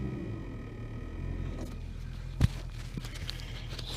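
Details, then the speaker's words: Holden HK idling on test run after ignition coil replacement: faint steady coil buzz over low, even idle rumble; new coil buzzing harder than the old one, but engine tone much improved and previous ticking gone. "That's the coil buzzing. Buzzing harder than the old one did."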